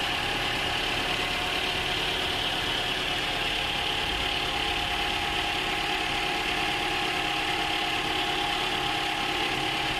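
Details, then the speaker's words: High-mileage Toyota engine, over 300,000 km, sludged from stretched service intervals, after chemical engine flush: even idle with steady hiss, top-end tapping largely gone once oil circulates after startup. "as you can hear there, there's been a massive difference in the noise on the top end of this. It's completely reduced it."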